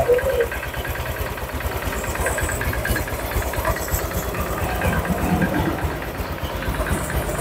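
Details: Honda Vario 150 scooter engine reassembled after overheating, fast coolant loss, oil loss and rough running; idling warm with thermostat open and coolant circulating, checked for leaks. Even steady idle, soft regular beat, no knocks or rattles; normal idle.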